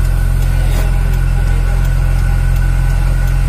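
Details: Old car with previously rebuilt engine, AC not cold complaint: smooth even idle with steady compressor hum, no knocks or squeals; AC running normally and cooling.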